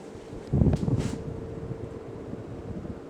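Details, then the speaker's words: 52-inch Emerson Premium ceiling fan, K55 motor, on high speed: rush of air with a faint steady whistle, hardly audible, cause unclear; whistle at high speed. "now if you listen closely you'll hear a little whistling sound but I can easily be drowned out with the wind noise of the fan see if you can hear it"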